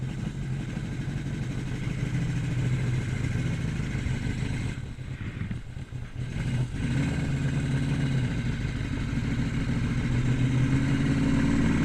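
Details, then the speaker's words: 1981 Yamaha XS1100 cafe racer on Speeduino, first ride in two years, pulling away in first gear: uneven, stumbles and loses power midway; owner suspects running rich, flooded or fouled plugs. "oh yep about what I expected [Music] it's I think it's Rich all right so I probably flooded it or fed the plugs"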